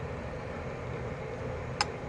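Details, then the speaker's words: 1976 Gottlieb Volley electromechanical pinball, back box ball unit freed after its grease-seized pivot shoulder bolt: one crisp, solid click over a steady hiss, a normal latch relay release, with all switches changing state. "hear that click back that's the noise i want but you can see how the how the switches change state"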